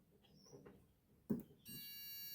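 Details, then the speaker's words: Multimeter continuity test on a simple air fryer's wiring (live traced through the door switch; the break was later found at the thermal fuse). A faint tap, then a steady high beep for about 0.75 s, confirming continuity. "So I took my multimeter and I put it onto the continuity testing, which means that it will make a sound when you touch the 2 leads together."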